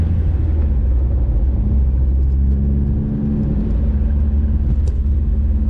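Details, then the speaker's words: VW Scirocco MK2 with a Yamaha R1 engine conversion on rebuilt R1 carbs, first road test before its MOT, heard from inside the car: deep, steady exhaust rumble pulling strongly, with no knocks or misses; healthy, with a slight flat spot noted. "Absolutely rips. Actually, it's not too loud in here."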